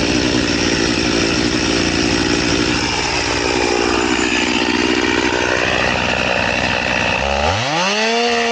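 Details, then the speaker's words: Chainsaw with its chain filed to 10 degrees, crosscutting again: steady high revs that bog only slightly, cutting smoothly without pulling or jerking but super slowly. A semi-chisel chain is to be fitted next. "So we're going to cross cut it again, but it's super slow. It takes a while to do it."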